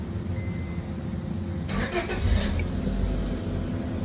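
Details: 2005 Honda Civic DX starting right after fuel pump replacement (cracked pump housing leaked fuel vapours), pump primed with key-on first: quiet hum, short crank, then prompt catch into a smooth, steady idle; starts normally.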